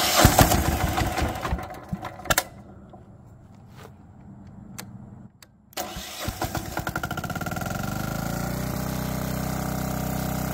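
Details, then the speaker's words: Old barn-find Lombardini 15LD400 diesel generator, electric start, on a temporary fuel tank, pretty loud: a few cranking bursts, then catches near six seconds into an even steady diesel beat; normal running. "I'm going to have to put on headphones or uh ear muffs cuz it's pretty loud and I'll adjust the volume on the video so it doesn't blast you out as well"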